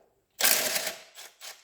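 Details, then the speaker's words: Peugeot Expert 2.0 HDI diesel van, customer couldn't get reverse: harsh gritty rattle bursting out, fading and flaring twice more; clutch pedal feel agrees, mechanic believes the clutch friction plate is breaking up. "Now, this is the second time I think, if this has done what I think it has, and if you listen, it sounds like the clutch is falling apart."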